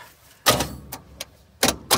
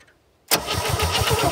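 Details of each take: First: 1967 Chevy C-10 V8 started after sitting an unknown long time, with a little choke: a few cranking bursts, then it catches and settles into a steady, slightly lumpy idle with no odd knocks. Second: 1967 Chevy C-10, points seen opening and closing but no spark at them: starter cranks with an even chug of about six compressions per second, no firing at all.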